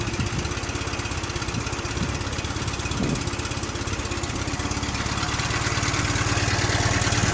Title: Fiat 126 BIS engine after rebuild